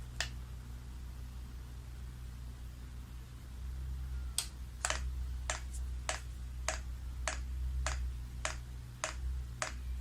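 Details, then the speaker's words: Chinese diesel heater on the rotary controller, priming mode (off button held), pump only running for about five minutes: sharp single clicks about every half second over a low hum. Normal fuel pump priming. "and you can hear that pump clicking now all that's happening is the pump only and it's priming"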